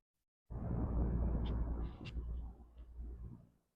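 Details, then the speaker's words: 1970s Galaxy 12-inch two-speed mini box fan, long stored, on 119.8 V, running on low speed: only a soft steady hum, no rattle, tick or scrape; quiet normal operation. "Anyways, let's go ahead and start this fan up on low speed. Y'all listen to how quiet it is."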